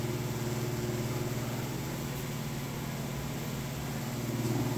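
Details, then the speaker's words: Broan exhaust fan at a restaurant, light out: loud, steady droning hum with coarse rumble underneath and no speed change; noisy exhaust fan, likely needing service. "That is one noisy thrown exhaust fan. It sounds like it needs servicing."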